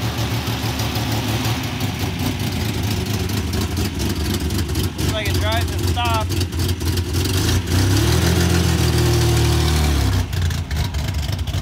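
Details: MGC-GT after storage, battery charger acting as alternator; idles and blips with a fairly even low rumble under road and background noise while running and driving; fuel smells old but runs fine.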